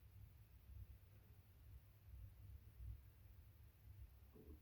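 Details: New Panasonic NR-BB53 (NR-BB53PV3WA) refrigerator. Low, irregular, frog-like croaking clicks come and go over a quiet hum; the cause of the intermittent internal noise is not identified.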